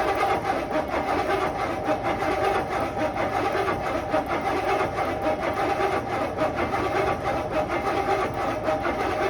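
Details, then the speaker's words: 1969 Buick Skylark, off road since 1985-86, once flooded, cold day, fuel dribbled into carb bowl vent and carb; steady rhythmic starter churn just under one cycle a second, no firing or sputter; cranks but won't start, owner may need to jump the coil. "that was pretty undramatic nothing not a sputter"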